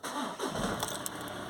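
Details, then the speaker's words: SEAT Leon Cupra just after timing belt kit, water pump and crank seal replacement: quick crank catches and settles into a smooth, even idle; starts and runs normally, nothing catching. "it's running that is such a relief like I say every time I do it it's still a relief and it actually runs"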